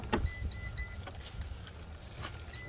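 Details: Salvage 2013 Fiat 500 Abarth turbo, key-on before first start: repeated short high chimes and a few relay clicks as the dash powers up normally.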